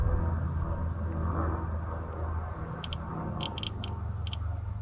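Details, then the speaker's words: Older 4-wire Lay-Z-Spa Bestway Airjet pump unit, multimeter in continuity mode across the heater connector: short, sharp beeps over a low rumble show a solid connection, so the heater element is good rather than blown. "and you can hear a solid beep that means that it's making a connection and that means that that is good"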